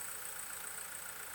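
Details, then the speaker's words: Tascam 122mk3 cassette deck, before its full rebuild: the transport motor comes on via the leaf switch but runs with a loud, rough whirring hum and hissy rushing edge during rewind, fast forward and play. "okay that works but boy is that noisy"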